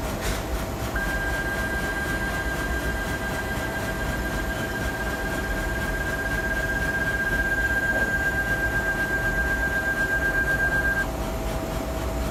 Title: Z-Stage ticking sound